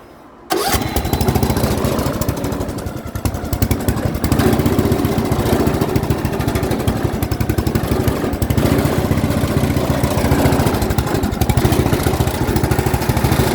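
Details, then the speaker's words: Yard Machines 38-inch lawn tractor, 13.5 engine, jumper pack wired to the starter and ground, six-pin main harness disconnected: starter catches and the single settles into a steady, even beat with no misses. It runs fine; the no-start is a wiring fault. "but as you as you will hear this machine does start up and run perfectly fine just gotta figure out that wiring wiring gremlin and this one will go back down the road"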